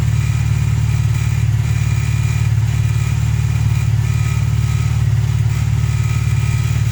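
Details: VW Polo Playa after fixing no-spark from snapped distributor plug wires with a new wiring loom, following a clutch change: steady, even low idle with smooth regular beat, no misfires or knocks; running cleanly.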